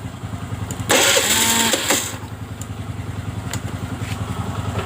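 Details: Honda Vario 110 FI (LED) that stalls after 1–2 km of riding: the starter whirs about a second without catching, and no fuel pressure builds; the injector is likely not at fault.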